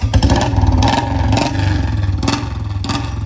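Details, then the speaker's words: BS6 Royal Enfield Bullet single-cylinder near idle: thump with loose, uneven clatter over the beat, tank-tapping sound. "ਸੁਣਦੀ ਆ ਟੈਂਕੀ ਦੇ ਥਾਪੀ ਦੀ ਆਵਾਜ਼, ਸੁਣਦੀ ਆਈ ਗੂੰਗਾ ਇਹਨੂੰ ਕਹਿੰਦੇ ਨੇ।"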